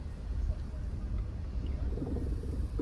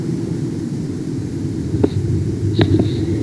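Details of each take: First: Tesla Model S driven slowly over a drain grid: low, uneven rattling and thudding from the front suspension, ending in a sharper knock. Wheel-up checks found no free play in the joints. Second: Tesla Model S driven over bumps after replacing the near-side front track control arm bonded washer, heard via sensor on the shock tube: steady low road rumble, faint ticks, front suspension quiet with no rattle.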